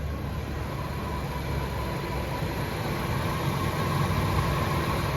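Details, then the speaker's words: After ECCS downgrade: low, steady idle hum with no hunting or stumbling, rpm holding even; stable, healthy normal idle. "Yung ganong stable."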